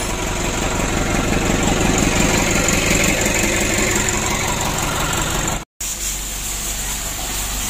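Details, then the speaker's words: Rebuilt Mitsubishi 120 PS diesel engine warming at idle about 3 hours after first start post-assembly; steady even beat about three per second, no knocks or misses, healthy. "Ini masih kita panasi teman-teman. Ini kita hidupkan lebih kurang baru 3 jam."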